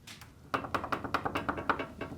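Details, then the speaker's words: Garage door roller shaken after fitting a sleeve on the roller stem in the hinge tube: quick soft, dull clicks, the rattle now muffled, no longer the earlier high-pitched sound. "it has become muffled in sounds sure you're still going to get a little bit of rattle but the sound has been muffled now"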